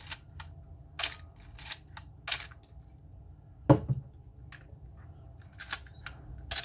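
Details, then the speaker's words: Canon AE-1 Program after oiling the shutter gears to fix a squeak and slow shutter: crisp, quick clicks at normal speed with no drag or squeak. Normal shutter operation. "notice how the shutter is going at the normal speed when I first show you the is going extremely slow so we'll compare that to the first one I showed you"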